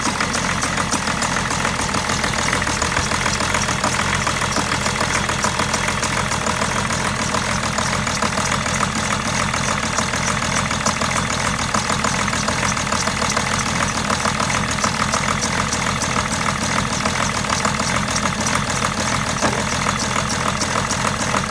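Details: 2008 BMW 730d E65 diesel after turbo rebuild (oil seals failed), new oil, air filter, intercooler cleaned: uneven idle, clatter rising and falling; runs about sixty seconds then dies.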